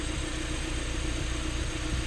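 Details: 1995 Honda Civic EG hatch, D15 engine, after distributor replacement for crank-no-start, with timing about to be set: low even idle rumble, steady beat, no misses, knocks or pinging; normal idle.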